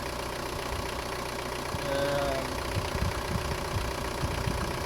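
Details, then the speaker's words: Cold engine just started after replacing the Bosch accessory drive belt with a Gates belt and replacing the idler pulley. Even quiet idle with a soft hum; no squeal or chirp even when revved; the earlier belt squeak is gone. "зараз мені каже я чую що двигун працює тихенько рівненько по сторонніх це двигун холодний машина не заводиласяце я тільки запустив чуєте нічого не пищить нічого не шумить"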